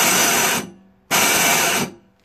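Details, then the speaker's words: Toro 38602 Snow Commander snowblower, electric starter on a mains extension cord after priming: two harsh half-second scraping bursts while the engine never turns over; starter gear teeth stripped, starter motor then removed. "something wrong with that electric start man it sounds like a lot of scraping noises so the teeth are all gone"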